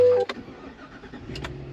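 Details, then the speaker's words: White Ford F250 still misfiring after all new spark plugs: irregular sharp pops and sputters as it cranks and catches, with no smooth firing rhythm. Coils are to be replaced next, cause not confirmed. "Still doing the same sputting and putting. When you crank it up, it's acting like it's just misfiring, just popping."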